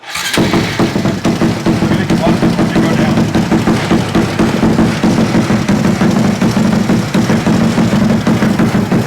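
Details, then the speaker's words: Modified bike with Koso 170 cc big bore kit, Competition Werkes GP full exhaust and aRacer ECU, refired after a top-off during first start: fires at once and settles into a quick, even single-cylinder idle with no misses or knocks; runs healthy. "and we're gonna refire it sounds amazing yes"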